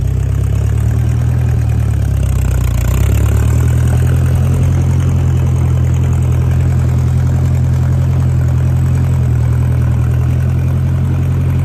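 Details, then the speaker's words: 1956 Massey Ferguson MH50 gas tractor with a new battery and fresh fuel, running nice and smooth: deep, even low thrum at constant speed with no ticks or stumbles. Normal idle. "The little guy sure enough runs nice and smooth, folks."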